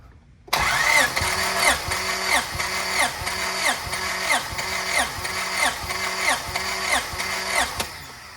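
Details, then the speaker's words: Em1 engine compression test, plugs out, ten cranks on cylinder two: even starter cranking at roughly ninety strokes per minute; gauge reads 210–220, healthy, though the tester is suspected of reading slightly low. "so cylinder number two came out to 210 220 so we're good there"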